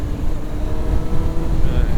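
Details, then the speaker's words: Kawasaki ZX-9R riding in first gear under hard throttle: engine note climbs and flares without matching pull, clutch not biting as before; clutch slipping. "so let's see no clutch just slipping felt it straight away shouldn't feel like that"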